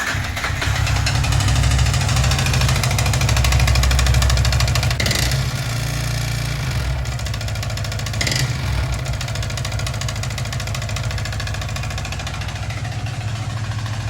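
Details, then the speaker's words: Yamaha R15 V3 four-stroke idling in neutral after engine oil ran nearly empty: steady knock about three times a second from worn upper-engine valvetrain parts due to oil starvation. "तो भाई यही कुछ ऐसा sound ए रहा है जिसकी वजह से मैंने मतलब इसको चलाना ही छोड़ दिया अभी फिलहाल"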